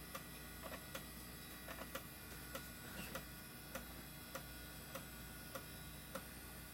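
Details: Old IDE hard drive detected as master with good SMART data, passing all tests during a scan; soft fairly regular head ticks about a hundred a minute over a quiet spin hum; healthy drive.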